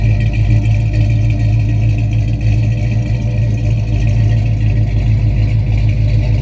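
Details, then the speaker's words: Fully restored 1968 Dodge Charger R/T, 440 cu in big block V8, manual transmission, at idle: deep, even V8 burble with a steady exhaust pulse, no misfires or rough running, and no smoke or oil smell. A normal, healthy idle. "You can hear that I don't hear any misfires or rough running. There's no smell of any smoke or oil. No colon smell, no rich hydrocarbon smell. Engine is running perfectly."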